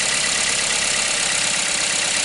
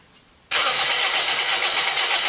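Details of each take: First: 2010–2011 Toyota Corolla with a high-mileage 1NZ engine, after a crank-no-start caused by water reaching the plugs during an engine bay wash: steady, even idle with a smooth hiss, no misses; now running cleanly. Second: 2010–2011 Toyota Corolla, 1NZ engine, crank-no-start after engine-bay wash at car wash; fuel, spark and battery checked. About three seconds of fast, even cranking during compression test that never catches; compression reads really low, connection being rechecked.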